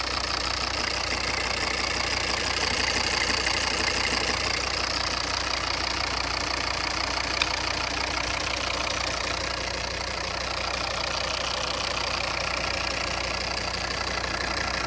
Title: Volvo v40 CC D3 2014 - engine knocking noise with vibration